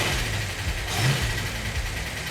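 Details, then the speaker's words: Built 440 Magnum V8, first build with roller rockers and roller lifters: deep rumble blips up and settles back cleanly, no ticks or knocks; healthy fresh engine. "that was the first time I've ever done roller rockers and roller lifter so maybe a little earning curve there but it sounds great sounds wonderful"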